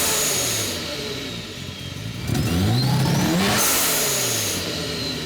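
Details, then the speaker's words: Rotary engine with a new turbo on stock parts, blow-off valve newly wired, starter fixed: revs rise and fall unevenly with stumbling and hesitation, running rich in a part of the fuel map not yet tuned. "That's getting so rich. I haven't tuned that part of the map yet for the, but I already can hear it getting ready. But all that stumbling, that's what I'm gonna be working on today."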